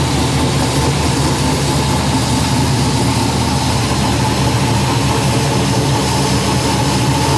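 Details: Fuel-injected Lucas Oil Modified race car fitted with a FIRA FAST EFI system, fired up after a few days sitting and pre-primed: loud, deep, steady engine note holding even revs with no misfire, popping or knock; running cleanly.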